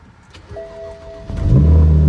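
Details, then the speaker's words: BMW E90 cold start after sitting overnight with the trunk open, during wheel bearing replacement: brief crank, fires promptly and settles into a strong, even high idle with no stumbling; healthy, normal cold start. "We are good. That is a very healthy cold start. Sounds like my car."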